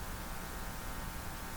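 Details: Hallicrafters TW2000 communications receiver powered through a dim bulb tester: steady low mains hum with faint hiss at full volume, before the hum is suppressed.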